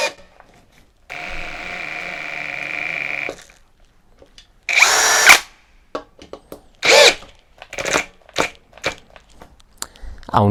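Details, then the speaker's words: Teccpo brushless impact drill (60/70 Nm comparison) in speed 2, clutch excluded, driving a screw into wood: it runs steadily, then only spurts in short bursts as the load rises, stopping several times. Cause suspected, not confirmed. "mais nous le vérifierons plus tard, en vitesse deux vous avez vu qu'il s'est arrêté plusieurs fois"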